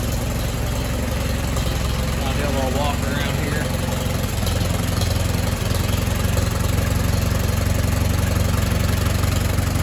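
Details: Allis Chalmers WD tractor after complete rebuild, quick start after final assembly; steady, even idle at about three beats a second with no misses, knocks or exhaust ticking; normal idle.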